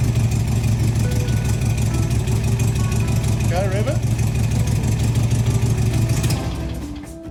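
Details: 1971 VW Bus Deluxe Kombi air-cooled flat-four after replacing rusted exhaust and fitting air cleaner and throttle return spring: starts and settles into steady, even low burble with music over it; healthy idle.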